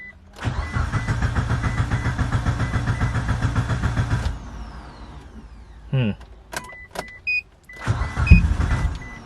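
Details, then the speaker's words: Mitsubishi Evo 8 after new fuel pump housing install: rapid, even cranking that never catches while the pump primes, then clicks and buzzes; little fuel reaching the line, so the pump was pulled for inspection. "you can hear the fuel pump priming let's try again"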